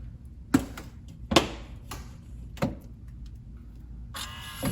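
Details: Samsung refrigerator ice maker not dumping ice, fridge in defrost, test button pressed: scattered clicks and clunks, then steady mechanical whir as it cycles through the test normally.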